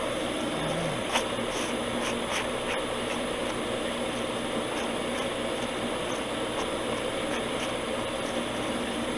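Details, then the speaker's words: Septic system jet aeration pump after overhaul, float lifted to test: steady airy rush with even hiss, good vibration and flow in the pipe, no knocking; normal aeration pump airflow. "but i can feel good vibration and good flow on that on that pipe and that's running like just like it's supposed to it's perfect got some good airflow going now that's a big difference"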